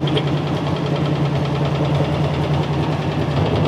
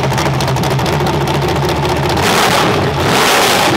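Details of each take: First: Demolition-derby engine with water in the oil, fresh oil added, idling: faint fast tick about three per second, quieter as rpm rises, motor mount broken; suspected flex plate hitting, or front cylinder. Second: Crate engine from Collier Performance, compared to an LS, freshly timed and tuned for demolition derby car: crisp revs climb and fall cleanly back to smooth idle, no knocks or stumbles; healthy.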